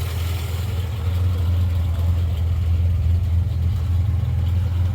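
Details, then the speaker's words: Morris Minor rat rod on its first start after 20-30 years in storage, after an oil change and new points: a lumpy, uneven exhaust beat with a loping idle; the noise drops when the clutch is pressed. "quite freddy out that exhaust so that noise goes away when you push the uh goes down a bit when you put the clutch in"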